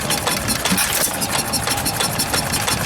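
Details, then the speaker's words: 2 horsepower antique stationary engine at the 2019 Georgian Bay Steam Show: quick, even chuffing beats with a crisp exhaust snap and no stray knocks; sounds pretty healthy. "Sounds pretty healthy. What is that, a water lid? Interesting. 2 horsepower."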